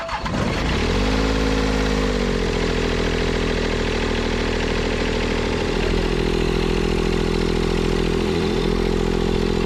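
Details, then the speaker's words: Toro Groundsmaster 223D diesel mower revived after decades abandoned, valves not yet adjusted: short crank, catches at once and settles into an even, steady diesel idle with no knocks or misses; runs healthy. "Yeah, the thing runs pretty good. Started right up."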